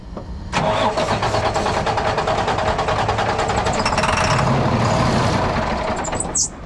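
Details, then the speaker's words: Freightliner heavy truck broken down in a turn lane, being primed with starting fluid sprayed in: steady fast starter cranking for several seconds without catching. Hard start from air in the fuel system, a pain to prime. "this thing's going to be a pain in the ass to get primed"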